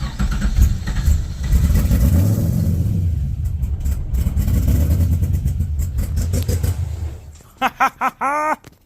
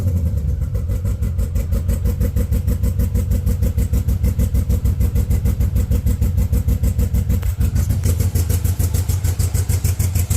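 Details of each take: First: 1970 Z28 Camaro, built LS2 with LS3 heads, newly fitted Edelbrock E-Force supercharger, first start with MAF, MAP and throttle body unplugged: fires and runs rough for about seven seconds then shuts off, with no supercharger grinding. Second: 1970 Camaro Z28 with a built LS2, LS3 heads and a new Edelbrock E-Force supercharger, first start after clearing codes with a rigged MAP sensor and much of the harness unplugged. The idle is lumpy and ragged, loping about three times a second, running in limp mode.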